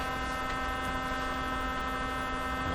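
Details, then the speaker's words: 1957 Chevy Wonderbar car radio on first cautious power-up: a constant low buzz with steady tones layered above it from the speaker, sounding exactly like a vibrator power supply; AC is likely reaching the filter system, which may not be filtering. Cause not yet found. "is it making this noise it sounds exactly like a vibrator so it does have a power supply inside this can"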